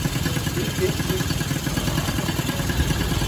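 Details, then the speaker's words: Sanex 50cc Yamaha-based two-stroke after rebuild: broken crankshaft bearings replaced, generator-part seals and con rod, used piston; air screw unadjusted, side oil pump not connected. Steady, slightly uneven putter at idle with no knocking or rattling; runs normally at idle. "Jelas sekali, motornya sekarang menyala dan mesinnya dalam keadaan idle, teman-teman ."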